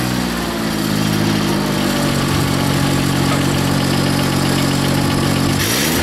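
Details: Rebuilt Grasshopper 721 mower, straight three-cylinder Kubota gasoline engine (cleaned carburetor, new fuel pump, plugs, air filter), blades engaged: steady even deep drone holding speed smoothly under load; healthy, though owner says it bogs in tall grass.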